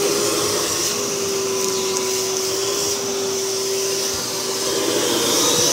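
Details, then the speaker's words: V H2O Turbo canister vacuum with a 4-speed motor at max speed: a strong, even motor roar with a steady whine, no rattles or surging; suction rises with speed, and the motor runs healthy. "So that's on speed number one. As you turn it up, the suction increases."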